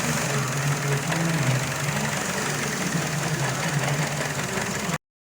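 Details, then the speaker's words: 2012 Chevrolet Cruze 1.4L with P0171 and C0050 codes and check engine and stability lights on: steady idle with a constant hiss over a slightly uneven beat, a vacuum leak traced to the PCV line. "I can already hear a hissing now as I get to show me some right here this is you're taking this meat here PCD system"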